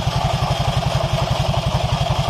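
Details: 2020 Honda Vario 150 scooter at idle, owner complaining of a noisy CVT: rough knocking "klotok" rumble, about ten pulses a second, traced to worn secondary pulley bearings after spraying WD-40 there to isolate it.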